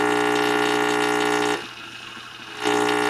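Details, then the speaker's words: Tube radio receiver being diagnosed for an oscillation, signal-tracing probe held at the rectifier; steady low buzz with dense overtones, dipping briefly then returning, the sound of AC being rectified to DC: normal rectifier hum. "that's changing AC to DC and we're hearing it. That's what that sounds like."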